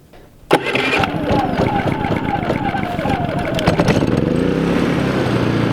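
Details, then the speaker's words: New Predator 3500 inverter generator started on its electric start, with a tiny battery of unknown charge; after a brief quiet, a sharp crank, it catches within a second, revs up and settles into a steady run. "we will find out if it doesn't start on the battery we already know how easy it starts on the pole"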